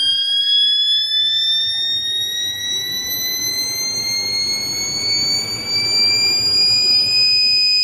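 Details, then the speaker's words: Stepper motor on a Pumotix-controlled CNC, ramping up: a clean, steady whine climbs smoothly in pitch, turbine-like, with no stutter or skipping; normal healthy high-speed operation. "listen to the motor look at how she starts accelerating see how it's slow it is once again we're ramping up gentlemen sounds like a turbine"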